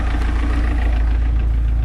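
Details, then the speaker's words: MerCruiser four-cylinder boat engine first start after installing Pertronix 1146A electronic ignition and Flame Thrower 3-ohm 40,000 V coil: low steady idle, even beat, no miss or stumble; smooth normal idle. "oh that sounds nice and smooth too nice it's not quiet that is that sounds so smooth love"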